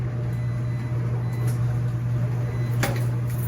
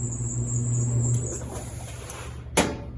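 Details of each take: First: Commercial laundromat non-top-load washer on an empty spin at top speed: a steady, even low drum hum with no knocks, scraping or wobble, quiet enough to talk over. Normal empty spin. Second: Laundromat washing machine running: low hum with a thin high-pitched squeak on top and a sharp clack near the end; suspected bad idler pulley, not confirmed.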